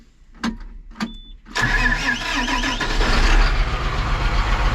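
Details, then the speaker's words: John Deere 8235R tractor diesel, cold: a couple of cranking turns, then catches and idles with an uneven, stumbling miss; mechanic suspects low compression, later finds cylinders 3 and 4 weak, number 4 dead. "Missing. Hear it missing? I might have to warm it up to get it to do the right thing."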